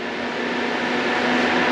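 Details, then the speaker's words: AC Infinity 8-inch inline duct fan for a GPU mining tent, running on speed 4 of about 8 (halfway) with no duct attached: steady airy whoosh with a faint constant motor tone, smooth and even, pushing a good amount of air; normal running. "You can hear it too. It's pushing a good amount of air, as well as you can feel the suction."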